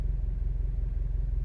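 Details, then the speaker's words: 2017-2018 Subaru WRX STI with air box fitted, idling: deep slow lumpy rumble with steady throb, whole car vibrating at what owner calls the absolute lowest possible idle speed; cause not confirmed. "good morning these cars never fail to amaze me like I'm sitting here the entire Kyser vibrating do you hear this it's idling solo"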